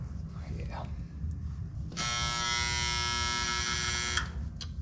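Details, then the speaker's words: HVAC unit whose contactor had burnt wires from loose lugs and had dropped from 15 to 3 ohms: a loud steady electrical hum for two seconds, control circuit buzzing, suspected to be an overdone transformer, not confirmed. "that's not good. That doesn't sound good at all. Sounds like a transformer or something."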